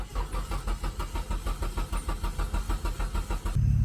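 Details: 1992 Nissan 240SX yard find, first start attempt in over a decade: steady starter cranking at about three compressions a second, even and unbroken, no cylinder catching; turns over but won't fire.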